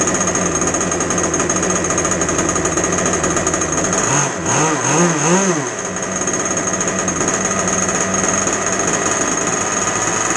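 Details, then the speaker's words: Two-stroke RC boat engine on the bench after a needle adjustment, with no load and below full rpm: a high, buzzy wail holds steady, dips briefly and recovers cleanly. A good bench setting. Normal bench run. "So that's what I would call a bench setting. Very, very simple. You don't want to rev it to the full, that was not full RPM."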